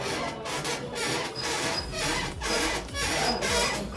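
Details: Royal Enfield suspension: repeating rubbing squeak about twice a second, rising and falling with each bounce; noisy shock suspected, not confirmed.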